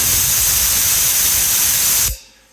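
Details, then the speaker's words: Automatic tank drain on a newly installed shop air compressor, set to 30 seconds for testing and planned for every 20 minutes: sharp loud hiss of air and water for about two seconds, then clean cutoff; normal drain purge. "so every 20 minutes It'll burst off like that for 3 or 4 seconds just to uh clean it off clean out the uh the Water"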